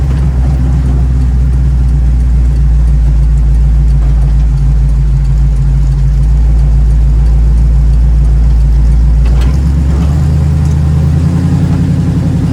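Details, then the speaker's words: 1936 Chevy coupe with SBC 350 V8 and TH350 automatic, owner suspects missing third gear, standard start from rest: low V8 drone climbs then drops near the ten-second mark as the transmission upshifts cleanly under steady throttle. "okay i'm in first gear listen carefully that sounded like third to me i'll shout it out this time okay i meant first"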